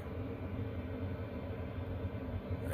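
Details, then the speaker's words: Chinese diesel heater in a box heating a tent trailer on a roughly 0 °C Alberta morning, 10 minutes in, fan wide open, full temperature bars: even low rumbling blower with steady airflow, no ticking, scraping or surging; normal operation at full output. "this is the fan going wide open it's a nice hot air blowing in"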